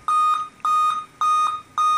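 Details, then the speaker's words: Dell Inspiron N5030 laptop at power-on: long, steady high beeps, each about a quarter second, evenly spaced about 0.6 s apart, repeating with nothing on the screen; 7-beep POST error, won't boot, cause unconfirmed. "it has a problem when you plug it in and turn it on it beeps several times so there we go just beef like that and nothing comes up on the screen"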